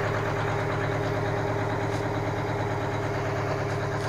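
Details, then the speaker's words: Aerodyne cabover truck with Detroit diesel, started after sitting 27 years, idling briefly to warm up: steady, even muffled idle with a regular beat and no knocks or misses, quiet with mufflers fitted; normal idle. "there it is it's pretty quiet with those mufflers on there"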